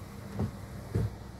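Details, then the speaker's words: Toyota Yaris with new replacement wiper blades on wet glass, heard from outside at fast speed: soft, low swishes with no squeak or chatter, barely audible, quiet normal wiper operation. "wipernya kita cepatkan Oke bunyinya seperti itu tidak terlalu terdengar ya Oke kalau dibuka aja tidak terlalu terdengar apalagi kalau ditutup yaat"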